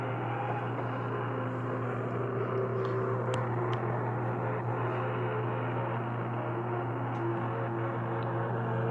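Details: Webster-Chicago 81-1 wire recorder playing back music recorded from a very hot input at max volume, played with volume and tone at max: faint music buried in hiss over a low hum, sounding oversaturated and distorted even when quiet.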